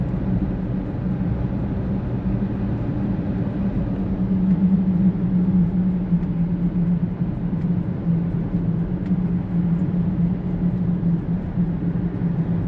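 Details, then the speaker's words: 2012 Toyota Prius with ABS, brake and TRAC warnings on a test drive at 50 to 55 mph: a steady low hum under road rumble, suspected to be a bad right rear wheel bearing, not confirmed. "I think I suspect we have a bad wheel bearing. Bad rear wheel bearing. If you can hear that."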